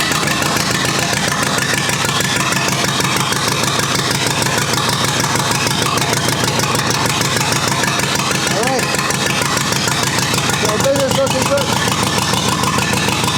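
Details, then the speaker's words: Rebuilt U23 engine, first start after 25 years, idle mixture screw about two turns out: uneven, lumpy idle beat that wavers and threatens to stall; carburetor not supplying enough fuel at idle. "i still need to work a bit on the cobra to make sure that it has sufficient gas on idle because it doesn't for the moment"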